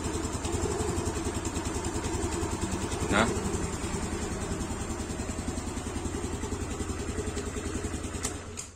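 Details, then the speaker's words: Yamaha Aerox (old model) after fitting an R15 piston, AHM standard racing exhaust: even, steady idle with soft regular exhaust pulses, no knock or roughness; previously rough and snoring, now smoother. "Nah, ini suara mesinnya jadi kalem banget ya. Termasuk suara knalpot, padahal saya kan pakai yang AHM ya, standar racing."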